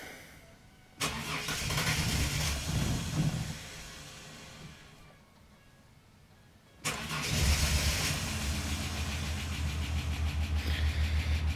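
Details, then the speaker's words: Ford EL Falcon Futura, off the road for a few years: fuel pump primes, engine cranks, catches, runs briefly and stalls, then a second start rises into an uneven idle; hard starting, takes several tries to keep running. "let's start this up and see what happens fuel pump's kicked on in there oh it's conked out"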